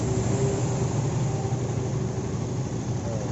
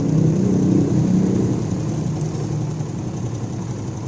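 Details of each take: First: Honda CB150R after repair of a rough, noisy engine with ticking: even, steady fast idle with no ticking or chain rattle; the earlier clatter is gone; normal idle. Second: Honda CB150R idling: steady idle with fast, fairly even rough rattle (kletek-kletek) about four per second on top; suspected stretched cam chain or tensioner adjustment.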